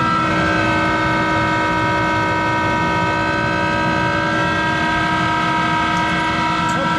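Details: Monarch 10EE lathe, 3-phase motor-generator DC spindle drive with vacuum tube rectification, running: loud steady hum with strong whine over a rough rumble; worn motor-generator bearings needing replacement.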